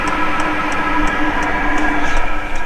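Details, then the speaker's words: Hcalory 12V 5kW diesel heater in a van, turned down from level four toward level one: even blower rush with a soft fuel-pump tick about three times a second, getting quieter; runs smoothly at reduced output. "if I bring that down you can hear it going quieter"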